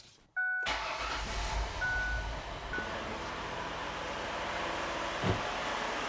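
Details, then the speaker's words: 2007 Ford Freestar van, first start after upper intake manifold plenum gasket replacement: quick crank, catches at once and settles into a smooth, even idle with no stumble or misfire. "There we go, sounds good. Make sure there's no misfires."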